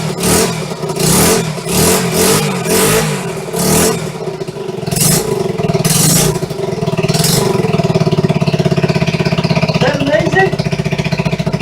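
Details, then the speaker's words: Restored 1974 Honda XR75, first start after two years of restoration, choke off, fresh non-ethanol high-test fuel, clutch needs adjustment and carb probably does too: sharp throttle blips settle into quick steady idle, no knocks or misfires; normal running. "Look at that. Clutch is working, needs to be adjusted. She wants to go. RPM, sitting there banging them off."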